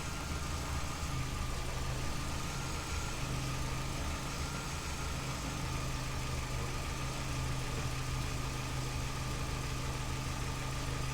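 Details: 2005 Vauxhall Astra G 1.6 twin-port (X16XEP) with multiple fault codes, low power and continuously running fans: a rough, lumpy idle with an uneven, wavering beat and slight stumbles. Codes return immediately after clearing, and the cause is not yet found.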